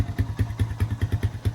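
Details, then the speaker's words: Cheap Honda Rancher ATV being restored, just started: slightly uneven, heavy single-cylinder idle about five beats a second, lugging; owner thinks choke is still partly on, cause unconfirmed. "Honestly, seems like it runs decent. Like I said, I think it's still got the choke pulled up a little bit, so it's not going to idle perfect. You can kind of hear it lugging a little bit,"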